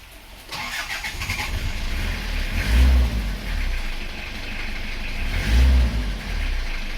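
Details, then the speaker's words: Isuzu Panther 2.3 diesel after replacing worn piston rings (compression had crossed between cylinders, under 25 bar, low power): cranks briefly then catches and settles into a steady low rumble with a couple of swells; starts cleanly, sounds healthy. "Nah, sekarang sudah naik, mari kita coba hidupkan dan nanti kita uji kompresinya berapa teman-teman. Ya, kita start."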